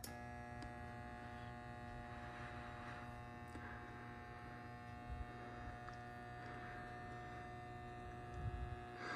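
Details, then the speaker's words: Brand-new Schumacher MC1281 battery charger connected to car battery: a steady, even transformer hum with no wavering, which owner accepts as normal, unlike the wavering whine he complains of. "and I understand that Transformer sound I don't have any problem with that it's got a nice steady home that makes that would make sense to me"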